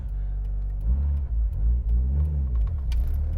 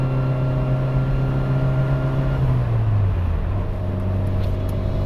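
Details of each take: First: Mitsubishi Evo with ACT twin-disc clutch pulling away in first just below 2000 rpm, clutch released not super smoothly: even rumble with no shudder or chatter, unlike the Exedy twin disc; smooth clutch engagement. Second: Evo with rebuilt transmission and twin-disc clutch, cruising on the highway in fourth gear: steady drone with a thin, even whine from the straight-cut fourth gear, normal for that gearset.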